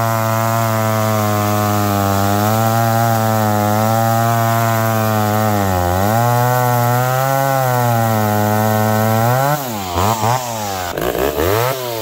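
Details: McCulloch Pro Mac 1010 two-stroke chainsaw cutting wet wood with a dull chain, high jet barely open; owner suspects the carburetor. It screams steadily, then sags and wavers as it digs in, losing revs under load. Much better than before, not 100%.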